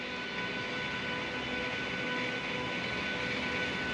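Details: Tesla after repair with errors cleared, coolant system air-bleed running: steady even whirring hiss with faint whine, no knocking or grinding; coolant pump circulating fluid normally with valves open.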